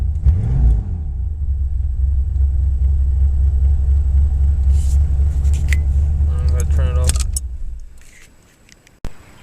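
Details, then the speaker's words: 1988 Chevrolet S10 Blazer with the original muffler removed during replacement: loud, deep, throbbing idle rumble with an even pulse, then the engine shuts off; exhaust running open without a muffler, not as loud as expected. "since I got the muffler off Melville started that see how it sounds like was no muffler [Music] it's actually not that loud"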